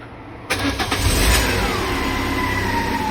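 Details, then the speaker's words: Peugeot 207 1.6 (NFU, Bosch ME7.4.4 ECU) with P0616 starter relay circuit fault and no crank from the key; with a ground wire bridged to the starter relay circuit it cranks briefly, fires at once and holds a steady, even idle. "هي خط البارد وصلته. بحاول هلا اضرب مارش"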